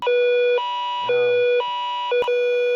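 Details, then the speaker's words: EWR850 weather radio powered with a WR120 cord; loud clean tone cycling in half-second bursts on plug-in, cause unknown. "This one does that when I plug it in. I'm not sure why."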